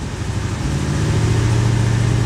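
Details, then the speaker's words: 1991 Corvette ZR1 LT5 V8 with the secondary injector system engaged: low, uneven idle with an irregular, stumbling pulse, misfiring from multiple shorted Multec secondary injectors seen on the scope. "we have a shorted injector or actually multiple injectors"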